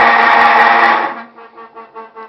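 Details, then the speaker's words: Electrolux LT15F 15 kg washing machine in spin cycle: loud harsh whining roar, then pulsing groans as it slows, from a worn gearbox. "esta tarde para mostrar um barulho que está apresentando essa gravadora da electrolux"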